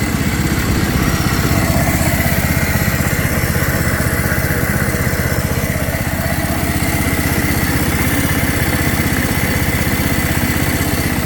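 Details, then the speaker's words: 2007 John Deere Z225 zero-turn single-cylinder engine after carburetor and head-gasket repair: a steady, even putter at fast idle with no misses or knocks. The smoke cleared and it ran fine. "It ran fine. The smoke cleared up."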